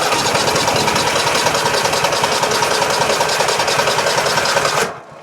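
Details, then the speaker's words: Toro Titan MX5400 with Kohler Confidant 23 hp V-twin that bogs under load and runs rough: the engine fires on one side and runs uneven for a few seconds, then quits. A weak ignition coil gives no consistent spark to one cylinder. "That's because we're not getting a good or a consistent spark over here in order to ignite this side."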